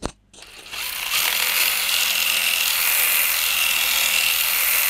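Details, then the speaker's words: RC adventure crawler (RGT Freeman) lifted and running slowly; steady high-pitched transfer-case gear whir, even with no knocks or grinding; smooth after the motor was repositioned and re-insulated. "ini bunyi transfer case jadi bisa kita lihat sama-sama tidak ada bunyi-bunyian yang"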